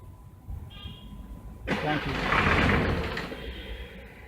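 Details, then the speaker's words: Jeep diesel with Bosch VP36 injection pump, fuel primed and batteries swapped: cranks, catches with a brief rough burst, then dies within a second. Starts then stalls immediately. "I hope you saw that as soon as it runs it cuts off"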